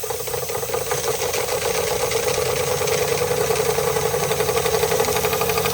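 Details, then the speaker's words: Marklin 16051 twin-cylinder steam engine, still running in, run slowly to conserve steam: quick even chuffs about four a second over steady steam hiss, no knocks; normal running, safety valve working. "I'm pleased how everything's working. It's everything working how it should."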